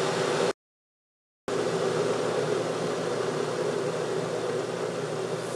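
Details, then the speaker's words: Keurig K-Cup brewer heating water in its inner tank before brewing two 8 oz cups: steady rushing, bubbling boiling-water hiss, louder than a standard drip maker, no clicks or rattles; normal heating. "now one thing that um I should point out is that these coffee machines actually make some very strange noises as you can hear now it's already kind of making like a boiling water type sound and that's cuz it does have an inner tank and it's boiling the water inside"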